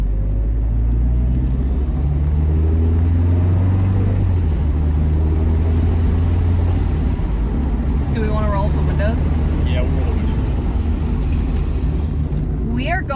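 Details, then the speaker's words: 2004 Mazdaspeed Miata at about 40 mph after rear differential replacement, cured of its earlier whine: steady road and drivetrain rumble with no rising or falling tone; a separate mystery rattle remains. "it's not whining it is like objectively not whining it would be whining right now"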